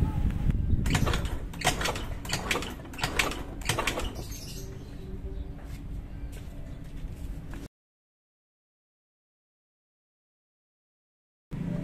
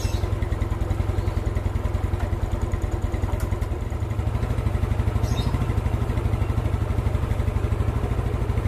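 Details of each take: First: Old Yamaha Mio scooter, hard to start: repeated kick-start strokes churn over without firing, after oil was added to the cylinder to check compression with spark plug out; no start, ultimately traced to incorrect intake valve clearance. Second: Old Yamaha Mio scooter after valve clearance set slightly loose to cure hard starting: steady, even putter at a fast idle, about two beats a second, holding speed without stumbling; carburettor still to be tuned.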